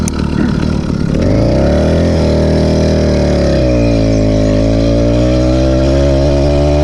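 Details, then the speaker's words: Seeutek PK80 66/80cc two-stroke bike motor with freshly port-worked replacement cylinder, rejetted, on a top-speed run: crisp note pulls hard then abruptly sags to an uneven burble, misses and four-strokes, topping out at only 31 mph; power loss, cause unconfirmed, rich mixture disputed. "Getting only a top speed of 31 miles an hour, it started to miss and four-stroke, and sucked."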